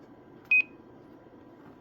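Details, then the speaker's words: K-PO DX 5000+ CB/10-meter radio with an added 2510 roger beep module, heard on unkeying the plugged-in mic; two quick high-pitched beeps then faint radio hiss: normal roger beep. "So I did put a Roger beep in it. It's a little 2510 beep."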